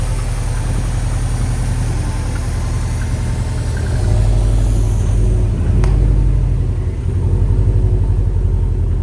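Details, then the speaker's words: Subaru STI just after an engine rebuild: deep, even boxer idle with light throttle blips and no knocking, so the bottom end sounds healthy. A belt squeak and a front noise remain, which the owner suspects is the power steering pump. "All right, well, honestly, I'm gonna call that a success. She sounds good."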